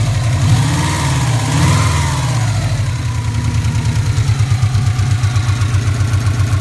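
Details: Subaru Impreza boxer engine idling warm after a blip, recently had bottom-end rebuild but not heads: fast steady tick over the low rumble; owner suspects shimmed valve buckets or rod knock, unconfirmed.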